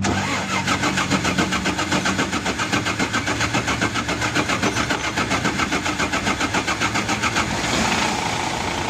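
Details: Mitsubishi 6M70 diesel with hard-start problem, after injection pressure pump was removed and recentred on its timing mark; engine catches and settles into an even clatter, firing steadily with no misses, running normally.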